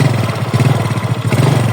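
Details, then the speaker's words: Yamaha Mio reassembled after connecting rod damage repair (work done at machine shop): low steady idle putter with even pulses, no knocking or rattling; smooth and healthy after repair. "Oke sobat, ini motornya sudah saya rakit kembali dari kerusakan stang seternya tadi, dan alhamdulillah motornya sudah halus, tidak ada kendala sampai saya lembur sobat, sampai malam hari."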